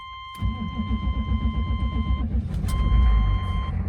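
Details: 1994 Chevy Silverado C3500 6.5L diesel, first cold start of the day after glow plugs cycled three times. It catches after a brief crank into an even clatter under a door chime, a normal start. Fuel filter housing leak noted, 40 psi oil pressure.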